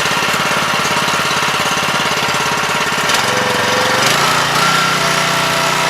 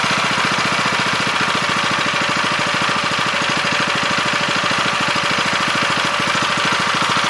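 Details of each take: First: 7 HP Kohler air-cooled engine on a hydraulic power unit, freshly carb-cleaned after two years unused: choppy single-cylinder idle loses rhythm and sags toward stalling; idle speed and air screw need readjusting. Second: 7 HP Kohler air-cooled engine on a hydraulic power unit, after carb cleaning, idle speed being set by ear: fast, even putter at steady speed, no misses.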